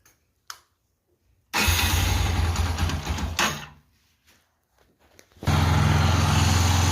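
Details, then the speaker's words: Yamaha YBR 125 engine after rebuild fixing a balancer noise, reinstalled: catches quickly, dies once, restarts and settles to an even steady cold idle with no knocking; normal cold start. "Funcionando aí, ó. Sem barulho."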